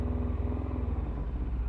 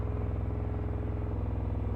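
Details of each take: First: Yamaha FZS600 four-cylinder idle during carb balancing, filters off, carbs 1-2 vacuum high and 3-4 low: covering number 3's air pilot hole makes the beat dip and stumble as it tries to die; normal carburettor pilot circuit response. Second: Yamaha FZS600 four-cylinder idle during carb balancing, filters off, carbs 1-2 vacuum high and 3-4 low: covering the number 2 air pilot hole leaves the steady idle unchanged; carburettor pilot circuit not responding, cause suspected.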